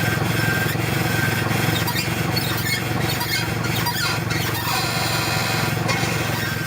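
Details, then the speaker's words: Car front suspension as it moves: repeated dry squeaks and creaks about three a second; bad ball joints, cracked boots let in dirt and water, non-greasable upper and lower joints need service. "So here's what a bad ball joint sounds like when you turn the steering wheel or your suspension moves."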